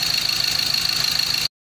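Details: Ford Ranger T6 diesel with stalling and power-loss complaints, started on a jump pack because of a low battery: quick even pulsing with a steady high whistle, no stumble or miss before cutoff; smooth normal idle.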